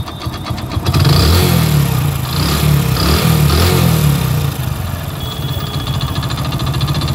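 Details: Hero HF Deluxe motorcycle, odometer 43,000 km but about 80,000 km actually run, before engine rebuild, heard close up at idle; light rapid knock about four a second under the rumble: worn crank bearing knock.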